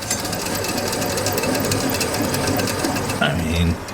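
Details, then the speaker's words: Old weathered alternator removed from M1028 CUCV diesel truck, spun by hand: rough dry grinding rattle though it turns freely; owner thinks it was ready to go, likely a worn dry bearing (suspected), unlike the new unit which spins quietly. "yeah it spins freely but i can hear that it's a little bit of grindy and i'm sure that thing was ready to go"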